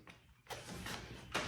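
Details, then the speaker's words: Audi R8 (2007-15) with coilovers after potholes, driver's side front shock worked by hand: two dull clunks a second apart, same as heard over bumps; owner suspects internal shock failure, not confirmed. "that's about the same pitch and consistency that i heard as we're going over bumps and the only thing that i'm seeing that's going on is uh is this shock"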